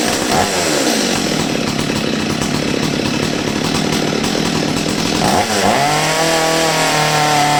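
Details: Old STIHL 023 chainsaw that sat over two years and bogged and stalled on throttle, after carburetor adjustment: revs cleanly to a high steady scream, dips under the cut and recovers crisply with no bogging; running healthy.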